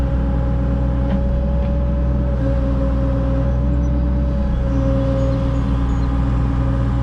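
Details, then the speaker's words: Caterpillar mini excavator digging gutter pipe lines: a heavy, steady engine drone with a constant hydraulic pump whine, louder than ever before according to the operator. The hydraulic fluid level is unchecked; low fluid is suspected, not confirmed. "I better check the hydraulic fluid. It's never sounded that low before. That loud."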